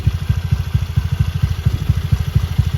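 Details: Honda Beat bored up to 120cc, original injector, ECU not yet remapped: even steady low idle, no ticking or clatter, smooth quiet valvetrain.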